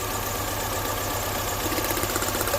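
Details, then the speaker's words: 2005 MINI Cooper running compression check, injector unplugged on one cylinder: uneven loping idle with faint sharp clicking of the plug wire sparking; pulling that wire changes nothing, coil working; dead cylinder misfire. "Didn't change the engine at all. Now listen to it clicking. You hear it popping? It's throwing a spark. It's wanting to spark, so you know your coil's working."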